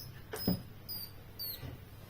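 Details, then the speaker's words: Laptop charger making high, cricket-like chirps about twice a second; it neither powers nor charges the laptop, and the chirping indicates a short circuit somewhere tripping its protection. "pues esto es un problema muy sencillo esto este sonido te está indicando que el cargador tiene un cortocircuito en algún elemento"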